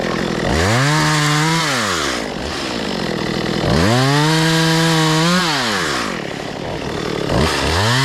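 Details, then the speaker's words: Stihl MS192 chainsaw stored for years, cleaned, carburetor adjusted, new bar and chain: crisp two-stroke blips up to a screaming high rev and drops back to a clean idle, revving smooth and even; running right. "Got this bad boy cleaned up. Got it back running. got the carburetor right. And uh man, this bad boy's ready to go."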